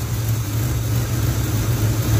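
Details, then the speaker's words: 1980 Chevy K10 with vacuum-operated Quadrajet carburetor, engine cold, fast idle now engaged after earlier seeming to run rich: a steady, deep V8 idle at raised speed, smooth with no misses. Normal cold fast idle. "went fast idle came on then so that sounds a lot better she's just cold right now"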